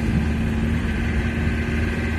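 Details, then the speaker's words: Camper van driven after wheel bearings failed soon after a garage replaced them: even engine drone and road rumble at low speed, engine audibly noisy but no metallic grinding or scraping from the wheels; bearings sound fine. "bon bien sûr on a un bruit de moteur ça on va pas se le cacher il fait du bruit il y a pas de bruit de métal comme tu as pu la voir quand tu as eu ton petit souci"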